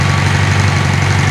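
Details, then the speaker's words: 1986 Yamaha Fazer FZX700S inline four, running about a minute and still cold, with a smooth, even idle and steady low hum; all four cylinders are firing, not lean or rich, with stock setup restored. "it's an inline four this is what they're supposed to sound like when every cylinder aspiring every time it's supposed to it's not missing it's not lean it's not rich"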